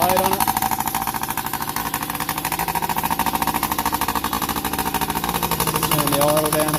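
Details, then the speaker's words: Yamaha PW50 two-stroke, sat 5 years, after returning to cleaned OEM carb and throttle cable, oil pump readjusted, new spark plug, tank drained: quick steady idle without stumbling, starts easier, no longer smoking; normal idle. "now put a new spark plug in clean the tank out give it all the clean up so just go a start up and you have a listen starts way easier now got a nice idle"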